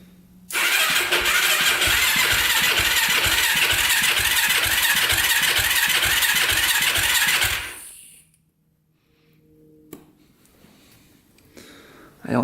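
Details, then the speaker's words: 2006 Yamaha YFZ450 special edition quad, cranking on jumper: about seven seconds of steady even starter cranking with no firing; crank no start, fuel starvation with little gas in tank and none reaching the engine. "it's getting any gas probably see if there's gas in it there's a little bit in there not much"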